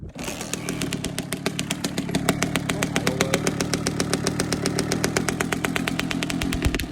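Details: Two-stroke bike after replacing the silencer packing: crisp, even popping at steady idle, no rattle or blat from the silencer; normal, healthy exhaust note.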